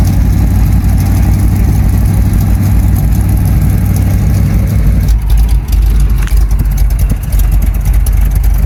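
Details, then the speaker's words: 1975 Chevy C10 square body with a cammed V8, converted from automatic to manual; the seller couldn't fix a knocking engine. Deep, lumpy cam lope revving freely and settling back cleanly; sounds really good and healthy. "It used to be an automatic. Yeah, he switched it to manual. It actually sounds really good."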